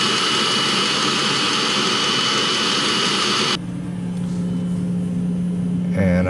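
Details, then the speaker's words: Diesel-fired coolant block heater on a 2016 Mercedes Sprinter with a 2.1L four-cylinder diesel, starting up with the fuel pump clicking and some smoke: loud steady jet-like roar, then a quieter hum; burner operating normally. "runs your coolant through your block from this heater, and it's just starting to start up now. That's the fuel pump clicking right there, and it does smoke sometimes."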